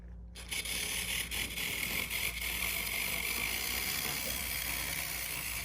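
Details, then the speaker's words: Bachmann Santa Fe 4-8-4 Northern N-scale steam locomotive, untested lot, needs cleaning and lubing: steady high whir with light track rattle that never falters; runs smoothly. "oh that's a nice Runner right there you bet you there's nothing wrong with that fantastic"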